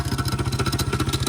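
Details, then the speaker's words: Honda XR100 or Yamaha TTR90 pit bike started on gas: sharp metallic knocking about sixteen times a second over the idle; suspected timing chain, also questioned as cylinder damage or wrong spark plug. "Let's hear it first. That sounds tasty. That's the timing chain."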